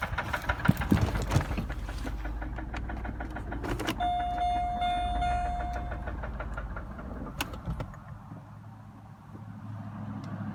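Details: 2004 Chevy Malibu idling roughly: irregular knocks under the engine note with a brief chime; knock continues while driving, fading near 50 mph, engine cuts off in drive at idle; owner suspects a spun bearing, unconfirmed.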